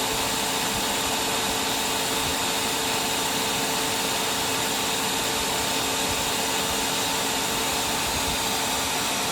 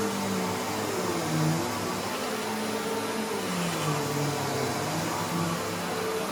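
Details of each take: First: Simplicity Symmetry upright vacuum after brush cleaning and reseating the lifetime belt and linkage: steady even whir with constant high hum, no knocks, rattles or slipping, brush spinning with no floor load. It is working perfectly. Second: Simplicity Symmetry vacuum: loud steady roar with a wavering, warbling low tone underneath; a felt gasket helped slightly, but the worn brush-roll clutch and clutch pad still need replacing.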